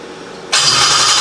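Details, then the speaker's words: Toyota 1JZ engine for a 350z swap, started again on a new ECU while sitting on a tire in a cherry picker, run longer to get coolant flowing; quiet, then catches at once and settles into an even, steady run; normal start. "well there you guys have it the Jay Z runs on its own just hanging out on a tire in a cherry picker she's alive"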